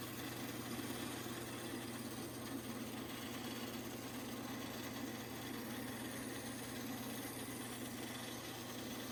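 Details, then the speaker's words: Vintage 1950s Craftsman bandsaw, restored, belt conditioned and blade aligned, first power-up: quiet constant motor hum with even belt and wheel whir, no thumping or rubbing; running normally. "all right here we are with the inaugural band saw fire up looks like it's going pretty good"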